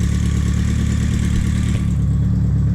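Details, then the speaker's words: BMW K100 café racer build, just started for the first time after the missed wire was connected: steady, even low idle rumble with a smooth, unbroken beat and no knocks or misses. A healthy idle. "Man, I don't know if the microphone will pick this up, but that sounds mean."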